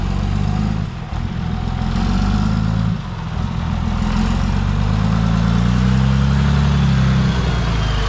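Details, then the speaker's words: Truck idles with a heavy, uneven low rumble and an irregular pulse, plus a brief blip; running rough, cause unconfirmed, and the starter solenoid is suspected weak or sticking. "5 trucks in here. Seriously? That thing sounds like a turd."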